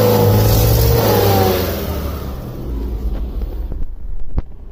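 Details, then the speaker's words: 2003 Honda Civic 1.7L on a warm test drive: deep, muffled part-throttle drone that strains without building revs, barely moving at about 50% TPS with few misfires; sounds like a restricted exhaust. "Sounds like a restricted exhaust."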